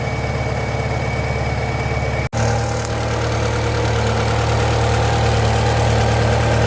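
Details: Japanese-import Alfa Romeo 145 Cloverleaf, nearly 25 years old, warming up as thermostat opens: even, steady idle, smooth low drone, no ticks or knocks; engine and cooling system judged okay, pipework and radiator reaching temperature.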